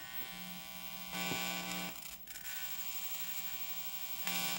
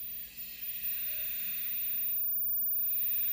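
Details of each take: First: On a 1980 Philips TV that arrived with no sound or picture, the audio has a harsh, steady electrical buzz that swells in short bursts. It is caused by dirty volume potentiometer contacts. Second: 1980 Philips black-and-white TV after repair, audio transistor replaced and noisy potentiometer cleaned, speaker not original, no transmission: only soft even hiss from the speaker, no hum or buzz; clean audio.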